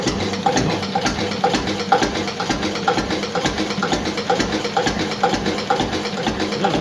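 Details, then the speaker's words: Witte diesel engine with advanced injection timing idling very slowly at about 200–250 rpm: even, unhurried chuffs about two a second with no misses; healthy slow idle. "200 250 rpm no calling it's not going any slower than that"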